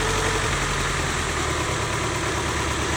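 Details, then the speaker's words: 1995 Honda Civic, D16Z6 1.6 L inline-4, misfiring badly, idling with one injector unplugged; idle turns lumpy and uneven with pulsing shake, performance changed a lot, so that cylinder was firing fine; leaky injector suspected. "As you can tell, so I pulled that injector. The performance changed a lot."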